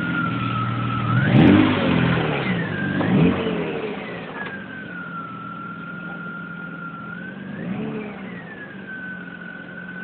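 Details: 1997 BMW E36 M3 petrol engine running with a clear whistling whine that rises in pitch with each rev and settles at idle; cause unknown.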